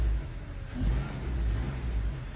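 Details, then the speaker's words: 2011 Honda CR-V after replacing evap purge valve and vacuum canister solenoids (P145C, P0496): light throttle blips rise and fall cleanly, no whooshing air through purge valve as before; idled a couple minutes without stalling. "Everything's buckled up. It's been idling a couple minutes now, hasn't stalled out."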